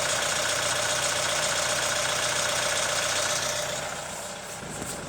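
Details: Hyundai ix35 CRDi 136 hp diesel at hot idle: a sharp, even top-end ticking knock near 220 per minute over the clatter. Owner suspects hydraulic lifters or the chain tensioner; unconfirmed.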